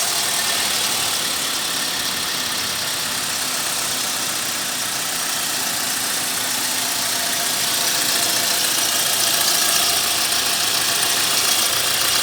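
Steady idle with a bright, hissy rattle sitting over the engine and no clear knock; some engine noise, source unclear.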